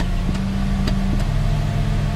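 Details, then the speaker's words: Ford 4.6L/5.4L V8 idling after replacing the cylinder 6 coil-on-plug for codes P0306/P0316 and clearing codes: steady even low rumble, no stumbles or skipped beats; misfire fixed. "seems to run right nice and smooth I think uh we're okay here I think we're okay"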